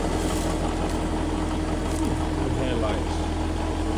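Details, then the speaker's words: 2006 Nissan at idle before repair: a faint, rough grinding runs under the engine note from the bad accessory belt tensioner pulley bearing, the noise that first revealed the fault. "not sure if y'all can hear that noise it's kind of like a little grounding noise but that's the tensioner boys that's the noise that we heard that showed us that uh something went right that's the Noise"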